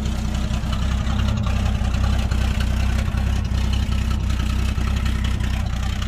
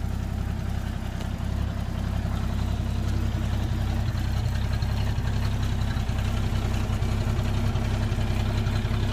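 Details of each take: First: Toyota Land Cruiser FJ60, beach vehicle with heavy rust, first start: steady loud idle with a sharp puffing tick about four per second over the rumble; exhaust seems broken somewhere, but the engine sounds healthy. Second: Toyota Land Cruiser FJ60, rusty beach vehicle, first start: steady, even low idle with no knocks or misses; exhaust broken somewhere but the engine sounds healthy.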